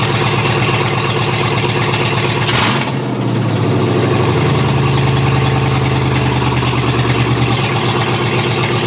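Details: Chevy 6.0L LS V8 from a 2003 2500HD truck, for an XJ Cherokee swap, at first start on a standalone harness with open exhaust and no cooling: starter cranks, catches fast and settles to a loud, steady, even idle. Normal start.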